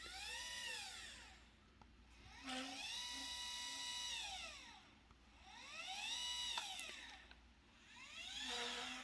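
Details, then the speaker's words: Celestron CGX mount worm motor in RA and declination, with loose motor mount screws; a high, warbling motor whine swooping up and down in pitch like a yelping otter. "sounds really bad i typed um cgx mount sounds like an otter and it came up so other people are having this issue"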